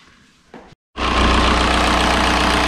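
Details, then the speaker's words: 2003 VW Jetta TDI 1.9 ALH diesel, manual, first start after swapping to an 11mm Bosch VE pump that sat for five years: short pause, then a loud, even idle clatter with no misses once air is out of the lines; normal idle. "it's settled into a decent idle pretty quick i think the air is out of the lines now"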